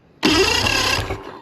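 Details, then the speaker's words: Mercury 2.5L EFI outboard with hot-soak no-start, spark checked by screwdriver to bolt gap: about a second of brisk, even cranking without catching; spark healthy, so ignition spark isn't the problem; normal cranking. "Okay, sparkles healthy."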